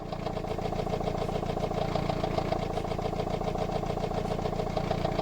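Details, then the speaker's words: Customer's car: rapid, regular hard ticking about three to four per second over idle, diesel-like clatter; engine knock, source not pinned down, another mechanic advised a new engine. "Customer states, my car now sounds like a diesel, and the other mechanic couldn't tell what's wrong with it, but told me to get a new engine. I can't fully tell from the video, but whatever it is, it doesn't sound good."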